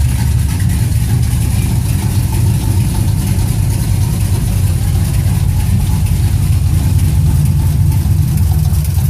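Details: 2006 TrailBlazer SS: deep even idle with a dull tapping about three per second in the low rumble, an engine knock from inside the engine.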